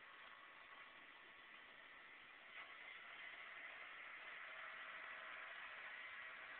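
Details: Xbox 360 disc drive spinning a disc at power-on: rough, hissy whir with a faint steady whine, a grinding noise, though the disc isn't scratched and games still play; owner doesn't know the cause.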